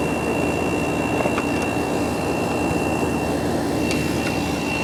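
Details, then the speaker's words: Samsung 10,200 BTU window AC, R-22, 940 W, rotary compressor, front cover missing, discarded unit given new power cord, mic near compressor, already cold from prior run; steady fan whoosh with constant compressor hum, no rattles, cooling; normal running. "Okay, so let's fire this thing up and see how it runs. I'll put it over here so you hear the compressor."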